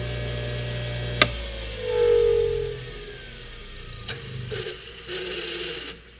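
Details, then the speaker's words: Flea-market electric motor: sharp click at switch-on then whir rising and settling smoothly at speed; centrifugal switch a little noisy but motor sounds perfect once up to speed. "The centrifugal switch is a little noisy. Who cares? Important thing is when it comes up to speed, sounds perfect."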